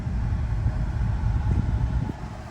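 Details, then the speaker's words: 2008 Ford Escape V6 road test after replacing sway bar end links and tie rod ends both sides to cure front clunk: steady low road rumble over bumps with no knocks or clunks; front clunk fixed, normal suspension. "All right, we're driving. See if we hear clunk. I don't hear it, do you? No. Okay."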